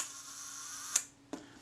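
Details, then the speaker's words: Kodak Retina IIa shutter after service, reassembled and set to 1 second: a thin, even escapement whirr for about a second, then a crisp closing click; the slow speed runs smoothly without hanging. "that certainly ran smoothly and a tenth should be somewhere about here that sounded credible too"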